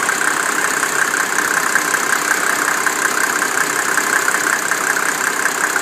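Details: 1987 Mercedes 300SDL diesel, 119,000 miles, number 15 head, warm idle at 80°C: light ticking about 160 a minute coming in and out, stops after driving; owner wonders injector, vacuum pump, sticking valves or timing chain.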